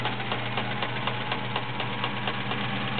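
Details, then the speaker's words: Sears Kenmore Model 1774 sewing machine, 1.2 A motor, everything oiled: steady rapid clatter about four beats a second with a light rattle on each stitch; internals run a little noisy for unknown reasons. "now the internals of this machine are a little noisy don't know why everything's been oiled"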